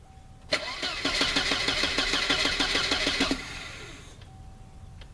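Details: Even cranking about three seconds at roughly three beats a second, then quiet without catching, on a 1988 Volvo 760 wagon after main fuel pump replacement; the pump only runs once the engine rotates, so an extended crank before starting.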